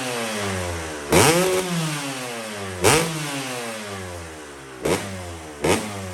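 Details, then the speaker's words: 2005 Kawasaki KX250 two-stroke, warm not fully hot, previously would not idle: crisp sharp rise through four blips, settling back to steady idle each time; normal, healthy revving. "sounds nice and crisp so it didn't idle before when we took out this solvent i had to keep it going low compression"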